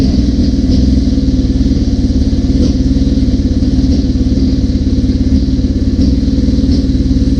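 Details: 1981 Suzuki GS650GL during rebuild with new battery, plugs, oil, filter and pod filters: fast, even pulsing idle on choke, steady beat with no misses or coughs; normal idle on all cylinders, small carb fuel leak suspected.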